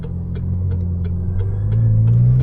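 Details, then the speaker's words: 2022 McLaren GT idling at a stop with a steady low hum, the known McLaren power steering whine, less noticeable when moving. "All these McLarens have that sound when it's not so noticeable when you're moving, but when you're at a stop, it's this little hum. It's really annoying."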